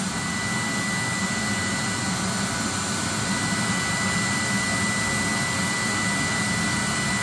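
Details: 30,000 BTU/hr multi-fuel fuel-fired personal cab heater for a 1973 M35A2 deuce and a half, control box flipped from run to off: fuel metering valve stops clicking and the blower purges until it quits, a steady whoosh with a thin high tone; normal shutdown purge.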